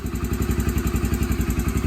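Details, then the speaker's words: Yamaha TTR125 sat five or six months with gummed-up carburetor, carb and jets cleaned, fuel on reserve, took longer than hoped to start: quick evenly spaced single-cylinder exhaust thumps, no misfires; running good. "seems to be running good that was a pretty successful thing"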